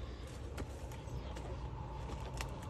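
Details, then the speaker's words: Trane XR13 outdoor condenser: compressor kicks on with a low steady hum but the fan doesn't start, no air rush; either a bad fan motor or bad run capacitor, here the capacitor. "when you have something like this here either it's a bad fan motor or it's a bad capacitor okay"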